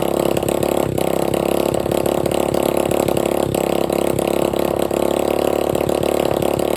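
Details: Free dirt bike running with no exhaust pipe and no carburetor filter, with about a six-inch flame shooting out: a loud, raw, crackling bark with uneven popping on every firing. Engine running without exhaust.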